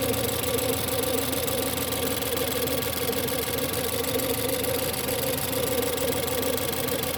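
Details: Ford 1.6 EcoBoost petrol engine at cold idle just after start: a steady, mid-pitched howling/whining noise holds the same pitch over the idle throughout.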